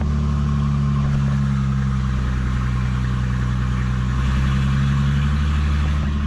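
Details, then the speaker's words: Ford Mustang petrol engine at startup: steady, slightly raised idle with deep even drone that falls back with a little gas; owner notes a subtle exhaust leak tick from a header crack that fades when warm. "There's that high idle. Give her a little gas and it falls back down."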